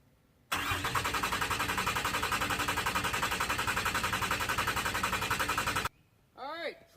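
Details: 5.9 Cummins diesel Dodge cranking evenly about four beats a second for five seconds but never firing; rail pressure only about 1,700 psi against 5,500 demanded, bypass valve plugged, owner suspects a bad injector. Crank no start.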